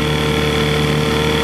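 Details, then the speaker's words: 1968 Johnson 6hp two-stroke outboard on a test stand after speed adjustment screw was turned in to lean it out; smooth even buzz with steady pitch, no misses or surging; running cleanly. "Now Speed adjustment, I don't know if it's high or low, I just won in a little bit and it leaned out better. Listen to that. That is a cruiser."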